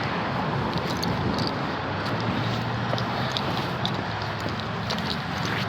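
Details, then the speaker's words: Toyota Prius with 238,000 miles and a new electric water pump, hood open: soft steady murmur with no misses or puffing, engine idling cleanly, no oil burning. "the engine I hope you can hear it is purring like a kitten 238,000 miles and it hurts like a kitten it's dirty under here but it runs fantastic"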